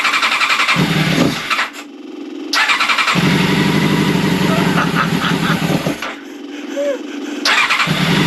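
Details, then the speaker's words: Old Honda CBR600 track bike, started on choke: catches and runs rough, then dies twice as soon as throttle is opened; carbs need removing and cleaning. "hey as soon as I pull the throttle it's dying so the carbs are gonna have to come out it's gonna be clean but it runs now"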